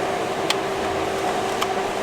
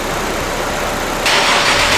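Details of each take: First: Honda S2000 at quiet idle with the AC on. A sudden clack brings in a steady whirring hum: the AC compressor (magnetic) clutch runs when powered directly, so its fuse is blown. The last compressor seized, and the coil may have melted. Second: Honda S2000 at idle with the AC blasting, after replacing the AC system and the blown 20 A under-hood fuse 58. An audible click and a step up in hiss and load as the compressor clutch engages normally.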